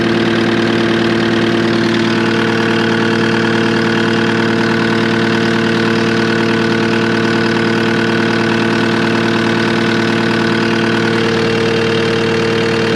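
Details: Cat 259D skid steer diesel after its 1500-hour service with a new fuel pump and filter: steady, even clatter at a constant idle with no misses, surging or extra knocks; idling normally, no leaks.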